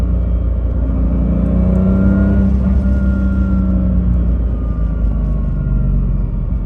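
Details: BMW M2 DCT with polyurethane transmission mounts from AliExpress, driving: steady engine rumble with thin gear whine rising and falling with road speed, plus gear or flywheel clatter and strong vibration passed into the cabin by the stiff mounts.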